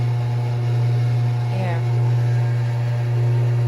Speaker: it's i can hear this loud it's like the house is shaking yeah it's like that